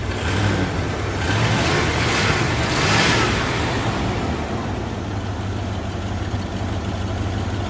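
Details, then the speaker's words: 1987 Ford F150 302 V8, automatic C6, 4x4, after fuel system work, possibly burning off fluid from a line: engine revs up and eases back smoothly, even firing, not shaking, no misses or stumbles; normal running. "It's actually running really quite smooth right now. It's not shaking. It's kind of running nice."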